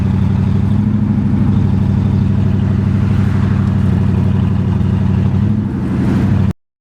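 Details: 1981 Mercedes 380SL V8 with K-Jetronic, on its first test drive after replacing the fuel pump, fuel control relay and rusted fuel lines: heavy engine drone under load with an uneven, stumbling beat. Misfiring, sputtering and lack of power.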